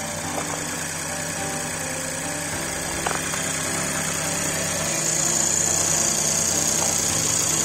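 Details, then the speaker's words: Škoda Octavia 1.0 TSI three-cylinder, 85 kW, just cold-started at -15°C, hood open, phone recording: even idle with light ticking, smooth and settled; started without problem. "Nastartoval úplně bez problému. Takže jsme viděli start tohoto motůrku při minus 15 stupní."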